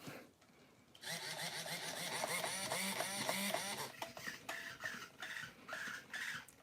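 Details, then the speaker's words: Traxxas nitro Slash set up as a Mud Boss, first power-on: throttle servo on channel 2 whines and buzzes in sweeping pitches, then jerks in strained bursts; servo straining because channel 2 needs reversing. "Oh, that throttle servo is not feeling good. Let me do some reversing on this. So channel 2 needs to be reversed."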